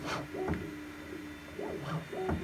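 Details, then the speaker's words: New Bambu Lab P2S 3D printer, bed now heated, re-probing the bed to check for warping during heating: stepper motors hum in short rising and falling sweeps with pauses over a faint steady tone. This is normal bed leveling. "So now it's heated the bed up and it's calibrating the bed again to see if it warps or anything during heating."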